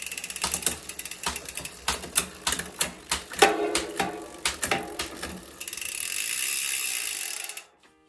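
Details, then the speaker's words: Bicycle rear derailleur after adjustment, shifting across the cassette; crisp evenly spaced clicks then smooth freewheel buzz, nearly adjusted, slightly stiff into first gear from the L limit screw; normal derailleur shifting. "é isso galera tá praticamente ajustado"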